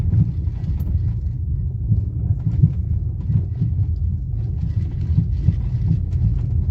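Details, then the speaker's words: New 2022 Maruti Suzuki Brezza CNG while driving: loose, uneven low knocking and rattling several a second on the front left side of the cabin, varying with the road; something in the front is loose. "तो दोस्तों आपको यहां पर left side पर थोड़ा सा व सकते हो खट खट खट ऐसे आवाज़ आ रही है अभी देखो खटमली खटिया रही है"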